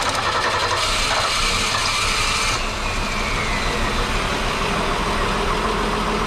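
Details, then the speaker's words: 1961 Ford Falcon Delivery at a steady, even idle after startup, with no knock; it sounds better than before, when the earlier noise was thought to be poor lubrication. "first let's check you all definitely sounded better on startup on this one i don't know about you guys"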